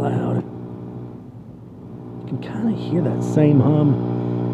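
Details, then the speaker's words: EVH 5150III guitar amp at half volume, channel three: a loud, steady low hum constant regardless of playing; preamp tubes through phase inverter swapped and house power checked, cause unknown: amplifier hum. "second Channel yeah a little bit of home nothing too bad for being half cranked ready for number three it is definitely loud"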